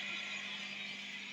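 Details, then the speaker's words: Guitar pedalboard with MXR Mini Iso-Brick not powering any tone-altering pedals, attenuator in normal mode: soft steady hiss with a faint low hum, no crackle or rising buzz. Normal background noise. "I'll turn the attenuator into normal mode, otherwise I'm going to create a lot of extra noise. I can just flick it and flick it. Okay. So this is the background noise"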